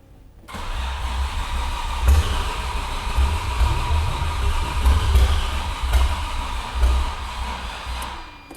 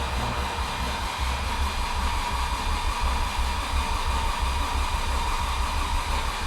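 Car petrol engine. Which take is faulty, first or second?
first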